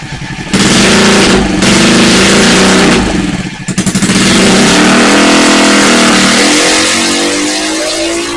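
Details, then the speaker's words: Metro (tagged Honda), newly revived: the engine catches and settles into a strong, even rev that climbs smoothly and holds with no misses or knocks. It runs healthy. "So there's proof. I got her to go. I'm pretty tickled with that."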